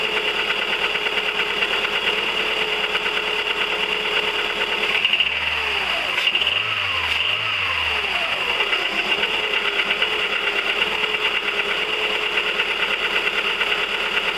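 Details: 1999 VW 1.4 16V: light, uneven ticking about two per second over steady idle from the top end; engine ticking at idle, cause unconfirmed.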